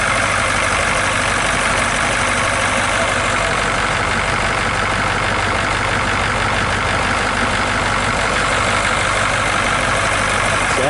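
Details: 1966 GMC military troop-transport bus, rescued after sitting; steady, even idle with constant low rumble and bright hiss on top, no knocks or misses; engine running fine, air pressure rising near 30 psi.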